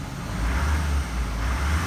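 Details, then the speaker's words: 2016 Nissan Titan XD Platinum Reserve, Cummins 5.0L diesel, owned a year: steady low diesel rumble with an even beat, no misses or knocks, starting right up after both fuel filters were changed and primed twice; normal idle. "put my foot on the brake pedal after that and cranked it right up it starts right up and so I've got two new fuel filters good for about another ten thousand miles and keeping my Nissan Titan XD running smooth"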